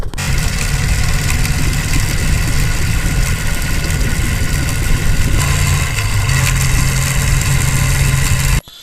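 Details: Motorcycle after engine rebuild: steady low idle with a light clicking from the chain side keeping pace with engine speed; sprocket installed reversed, fix by flipping it.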